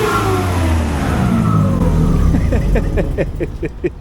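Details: Generator engine after coolant system overhaul: harsh screaming high-speed run, then sharp puffing ticks as speed drops; exhaust manifold leak, unit left down for repair.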